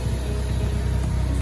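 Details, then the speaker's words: Ford Focus ST turbo petrol, stock wastegate and catback exhaust, warming up the morning of a hybrid turbo install: steady low idle with an even, slightly lumpy pulse and no knocks or ticks; normal cold warm-up. "The ST is just warming up. Today is the day of the install."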